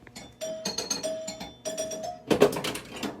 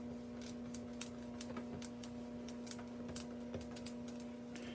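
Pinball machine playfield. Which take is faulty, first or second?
second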